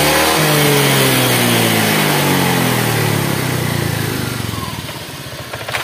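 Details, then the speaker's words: Honda Vario 125 after radiator leak repair, thermostat checked OK, coolant level holding: revs drop smoothly from a blip to a steady, even idle around four pulses a second; sounds smooth, no smoke. "Ini hasilnya kakinya agak ngedrop ini nah untuk suaranya [Musik] [Musik] halus [Musik]"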